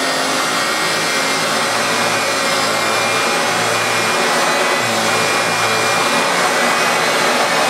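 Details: Hoover Turbopower Autoflex U2198 upright after refurbishment, both seized motor bearings dealt with, running on carpet: steady even motor roar with constant airy hiss, no knocks or rattles; healthy vacuum working normally.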